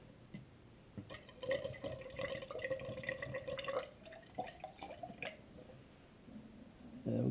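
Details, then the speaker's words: 1993 Honda Accord cooling system being bled through a raised funnel, watching the thermostat bleeder; irregular glugging and gulping as coolant drains in and trapped air bubbles work out, normal bleeding. "we got the gulping sound. It's going somewhere."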